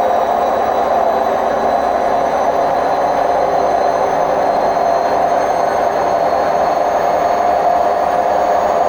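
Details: Hotpoint WMF760 washing machine on its spin program: a steady, heavy, harsh roar at an even pitch through a full-speed spin. Drum rumble attributed to bad bearings.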